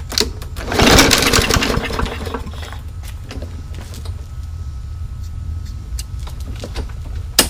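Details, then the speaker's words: Yard Machines mower in for no-start, carb cleaned, fresh gas after priming: pulls, catches with brief loud burst, then sags to weak uneven putter and dies; rough running and stalling, jet suspected undersized. "oh so much for that maybe it'll be coming apart again right well you know I think I'm going to take it apart again and give the carburetor a thorough clean but I actually think that the jet is a little bit undersized"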